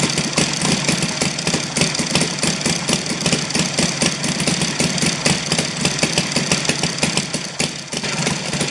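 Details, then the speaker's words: Saito FG-60R3 radial engine on a test bench after fitting a new ignition magnet flange: fast, steady firing beat with a shaky, uneven edge; heavy vibration persists, owner finds uneven fuel distribution. "the second uh I found that fuel distribution is not even also the third cylinder i"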